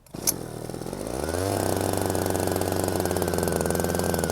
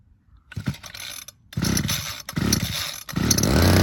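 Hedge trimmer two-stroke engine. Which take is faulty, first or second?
first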